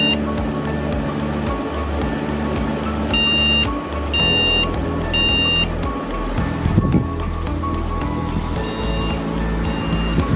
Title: ✅🖥️Beep Code: RAM Cards Removed | beep codes | 1 long beep 3 short beeps | ram beeps 3 times #viral✅